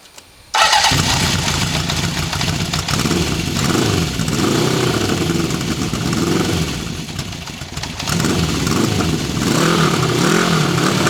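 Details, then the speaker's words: 1974 Honda CB750 Four, cold start: fires straight up and settles into a rough, uneven, cold-blooded idle with blips. No ticking, knocks, piston slap or valve-train noise; it runs better once warm. Normal cold start. "Motor sounds good with no ticking, no knocks. Can't hear any piston slap, any valve train noise. It sounds pretty good."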